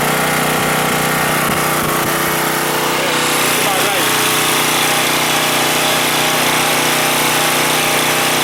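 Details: Husky 1850W generator with Mikuni T3044 carburetor converted to natural gas after cleaning failed; steady, even buzz at constant speed, no surging, hunting or misses, running better than on gasoline.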